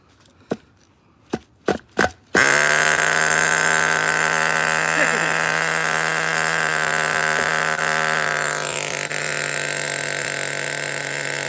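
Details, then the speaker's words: Over-20-year-old Smartech nitro buggy engine on a cold-night bench test: pull-start bursts, then catches and holds a high steady buzz; idle set too high, needs lowering. "Okay, lower the idle, let me fire it up again. Easy start, guys, easy start. So, gotta adjust the idle a little bit there."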